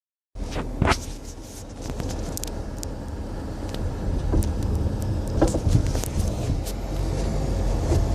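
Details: 2008 Acura RDX driven over bumps: irregular hollow clunks over road rumble, a suspension knock that seems to come from the front end.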